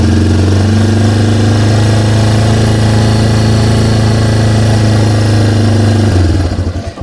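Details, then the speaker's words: Yamaha TW200 single with simulated vacuum leak at the carb-to-head boot, choke pulled: fast raised idle holding steady until shut-off, running slightly better; high idle from vacuum leak. "it allows it to run a little bit better, however the RPMs raise."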